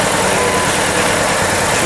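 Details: VW Polo idling with shaking, stumbling uneven beat instead of a smooth hum, checked with injector and coil waveforms on a Pico scope; one cylinder dropping out, misfire from a shorted ignition coil.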